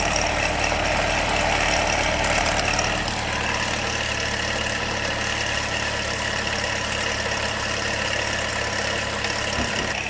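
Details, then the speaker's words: Car that sat a long time with nasty, overdue oil and crank/cam correlation codes, at idle: faint, uneven metallic rattle; a stretched timing chain is suspected, not confirmed. "I got a funny feeling. This thing's got timing chain issues. Question is, why was the car sitting so long? Yeah. That's chain issues, you hear it?"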